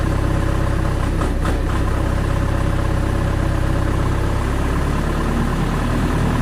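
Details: Diesel genset with a hard-starting problem, after adjustment and starting attempts with the battery down to about 11.8 V: a steady, even idle with a low constant beat and no knocks or misses; running smoothly.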